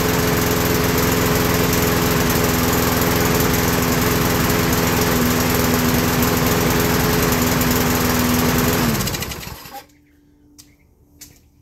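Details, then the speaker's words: Small single-cylinder garden machine brought in for a tune-up, with good compression, spark, fuel supply and the carburetor fully open: it drones dull and muffled without crisp pickup for about nine seconds, then shuts off; bogging engine, carburetor cleaning needed. "pero se escucha la máquina como que está sorda como que no despega completamente"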